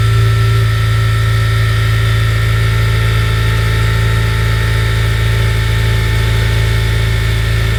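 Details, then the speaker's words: 2011 8th-gen Honda Civic Si after crank pulley replacement: a smooth, even idle with a steady low hum, and the earlier clock/clunk is gone. Normal idle. "It's spinning a lot more smoother, and that sound that we was hearing, that clock, you don't hear it no more. So it sounds more cleaner, right?"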